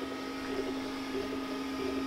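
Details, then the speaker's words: Glowforge Basic laser engraver after the upgrade to a larger inline exhaust fan at half speed, same mic position: soft steady low hum, faint higher tone, light mechanical shuffling. Normal quiet operation, replacing the previous loud, angry-beehive stock fan sound. "at this point i was in complete disbelief i kept leaning over and listening and looking to see if the thing was still operating"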